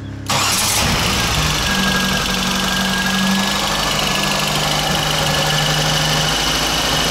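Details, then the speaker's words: BMW X5 first start after reassembly and a replaced sensor, before warm-up: catches at once and settles into a smooth, even idle with no ticking, misfire, stumble or smoke; runs healthy. "двигатель работает ровно не коптит не дымит"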